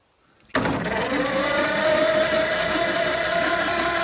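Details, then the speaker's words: Roughly 100-year-old Ford Model T (about 1926) long left sitting, jacked up, spark plugs out: starter engages sharply and spins the engine at an even brisk whir with a rising whine, blowing the cylinders out; starter works, normal cranking. "so the starter works that's cool thank you foreign no we don't one wheel spinner touch the starter to it again let's blow the cylinders out I guess"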